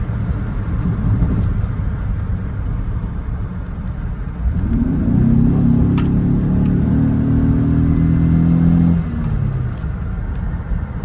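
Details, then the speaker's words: 2006 Buick Lucerne 3.8L GM 3800 V6, driving on the interstate with check engine light blinking for an active misfire: rough, uneven stumbling drone under load; misfire diagnosed as a failed crankshaft position sensor. "Then I took her to the doctor, and it started misfiring real bad on the interstate. This is the problem."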